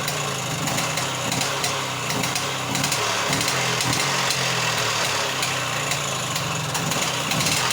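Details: Off-road buggy with new handmade exhaust: small single engine at fast steady idle, crisp even exhaust bark, no knocks or misses; sounds healthy.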